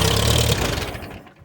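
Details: 1951 Case VAI tractor, fired on starting fluid sprayed into the carb: catches and runs roughly for a moment, then fades and stalls; fires briefly then dies.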